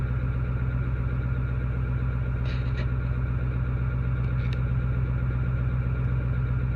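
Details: 2008 Ford 6.4 diesel, deleted with SCT tuning: smooth when first started, then idle rises and falls in a lumpy pulse about 1.5 times a second, smoking unburnt fuel; codes for cylinder 3 contribution, misfire, glow plugs; new cylinder 3 injector didn't help.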